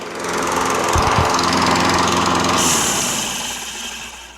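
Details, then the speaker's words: Toro Recycler self-propelled mower with a Kohler XT675 6.75 engine, before any work. At shutdown a sharp, high squeal rides over the rundown; a worn flywheel brake pad was suspected, which proved worn but not bad. "see that sound that sound where it goes it's not a good sound so we're gonna take the top cowling off and fix it"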